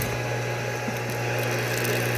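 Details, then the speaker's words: Goulds booster pump running after its fried power toggle switch was replaced: a constant low, steady motor hum with no rattles or grinding. The pump is running normally. "So now it runs just fine there."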